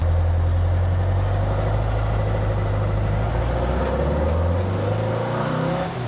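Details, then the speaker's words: 1974 Porsche 912 engine, about 50 miles on it with break-in done, warmed up: the note climbs steadily off idle without stumbling. Smaller 115 jets improved the idle-to-main transition, though it is still running rich. "it's running a lot better with the smaller idle jet or smaller main jet the 115s really made an improvement on the transition"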